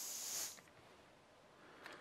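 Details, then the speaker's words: Cheap AliExpress butane jet lighter at highest flame setting: short sharp high hiss then near silence; gas leaks from the lighter when set very high. "Geluid, hoor je dat? Hij lekt dan gewoon gas als je hem op heel hoog zet."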